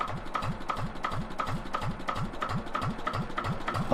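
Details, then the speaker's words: Engine of a 1970s Johnson's dumper being repaired, idling on a cold day before the gearbox was refitted and tested; slow, even chug of nearly three beats a second with no knocks, misses or rattles; normal idle. "just listen to that engine, doesn't it just chug along? Sounds beautiful."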